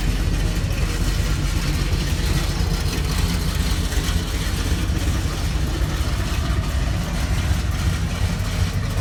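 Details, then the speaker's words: Chevrolet C10 truck V8 as bought, before the rebuild: deep, steady idle burble with even pulses and no knocks or misses; sounds healthy. "I also put a clip of the motor and what it sounds like it sounds pretty healthy"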